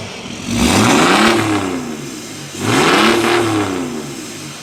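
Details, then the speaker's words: 2005 Mercedes E320 CDI turbo diesel after bigger-turbo install, back on road with no leaks: two clean rev pulls with a light turbo whistle, smooth and healthy; the turbo sounds to be pulling a little louder. "I may be a little bit louder the turbo does sound like it's pulling a little bit louder"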